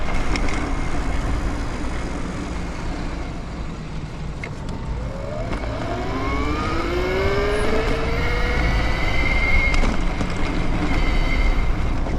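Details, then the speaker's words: BBSHD e-bike motor on Phaserunner controller under power: rising motor whine with road speed over harsh rattling chatter; rider blames the chain tensioner, cause unconfirmed. "So everything feels pretty good, except for that chain tensioner does not feel good. And it sounds loud."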